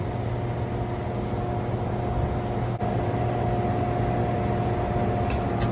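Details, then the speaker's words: Masterbilt display freezer with intermittent issues, 65 PSI on unit, 210 V in and out: steady low electrical hum with no run-up, then sharp click as overload trips; compressor draws 48 amps and cannot start. "There it goes. 48 amps, couldn't start."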